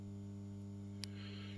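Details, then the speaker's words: A Dowell iPower 3 kW hybrid inverter, newly wired and first powered up without protection devices, gives a steady low mains hum with tonal lines and an occasional faint tick. The owner dislikes the buzzing; the cause is not confirmed. "No my będziemy się bawić buczy Nie podoba mi się to nie że to"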